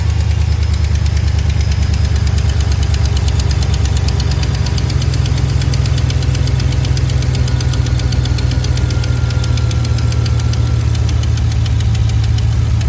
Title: Lifter tick? July 18, 2025